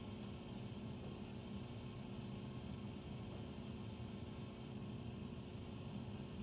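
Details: Very loud furnace noise carried through the main duct across three levels, recorded from the master bedroom walk-in closet, powder room, then utility room; constant low roar and hum, tiny water-dripping sound between, cause unclear; loud furnace noise.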